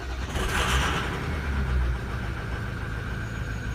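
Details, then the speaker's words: Diesel truck with 260,000 miles, cold start on a cold day: thin steady high squeal above the rumble right after startup; mechanic heard the turbo squealing and suspects it needs a turbo clean, unconfirmed. "just heard up there I just heard the turbo squealing so I needed turbo clean who knows"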